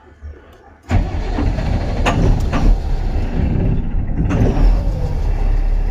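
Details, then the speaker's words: Mahindra Blazo BS6 M Dura tipper diesel, code P0344 after a sudden loud engine noise; needs long cranking, catches, dies, restarts to an irregular idle, rpm won't pass 2000 even at full pedal. "इसे start करने में काफी समय लगा, चलिए इसे रेव करके देखते हैं। और आरपीएम, देखिए, यह दो से ऊपर नहीं जा रहा है।"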